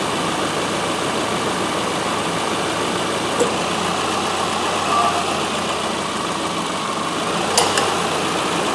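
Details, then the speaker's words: 2007 Subaru Forester with A/C quitting after about 20 minutes' driving, idling in shop: steady idle and fan hum with sharp, solid clicks as the A/C compressor clutch engages normally. "So you can hear she's got a good clap to it when it goes."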